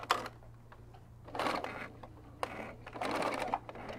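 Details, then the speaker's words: Sewing machine on generic stitch stitching minky plush fabric: short, uneven bursts of stitching that stall and restart instead of a steady run; jamming because no bobbin was fitted. "oh ah that's what happened it sews a lot better when there's actually a bobbin in there isn't that weird"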